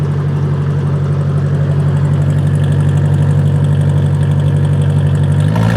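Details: 1953 Ford NAA tractor, converted to 12 V, Sherman high-low, sat a few days, cold start without choke after a 41°F morning (mid-50s now) in the California mountains: steady, even low putter at about two beats a second, no misses; healthy idle.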